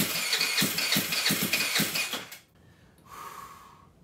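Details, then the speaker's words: GY6 139QMB Honda Ruckus clone freshly rebuilt with a 100cc big bore kit, not run for a long time: the electric starter spins it in quick even pulses without catching while fuel is still priming down to the carburetor bowl. "all right so we got fuel coming through it's now going down to the carburetor it's probably gonna do that a couple times before she lights"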